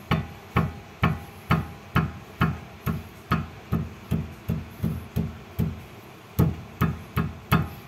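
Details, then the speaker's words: Xpander steering rack: rocking or tapping the tie rod gives sharp metallic "ting" clinks about twice a second, heard from inside the rack on both left and right. Attributed to a worn rack bushing or pinion gear; the rack is being replaced. Steering rack play knock. "itu bunyinya ya Ting Ting Ting Ting Ting Ting seperti itu dan ini menurut saya dapat dipastikan rak setirnya bagian businya atau bagian gigi pinionnya"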